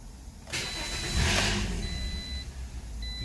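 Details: 2007 Toyota: the starter spins the engine at a steady but uneven churn with dash chimes behind it, and it never catches. Crank, no start; cause suspected, not confirmed.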